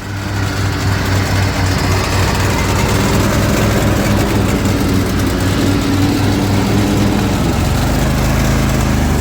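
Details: Zero-turn mower at idle after sitting about 12 hours overnight, following a valve adjustment; low rough idle, uneven stumbling firing sagging under blade load, struggling to stay running; idle set to low; dies when driven; cause unknown.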